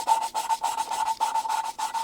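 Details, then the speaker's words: Volvo 66 (DAF 66) cylinder head, valve number 4 exhaust being hand-lapped with lapping paste: regular back-and-forth gritty rasping strokes about three a second, even tone; valve bedding in smoothly, probably needs little work. "And it's already sounding really nice, I think. I don't think it needs a lot."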